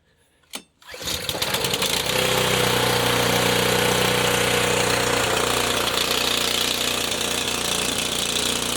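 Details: Honda HS520 four-stroke snowblower fired on fuel poured in by hand: sharp click, then a rough, slightly wavering chug; runs only when primed because the throttle/choke linkage cap is stripped, and it surges, running better on choke.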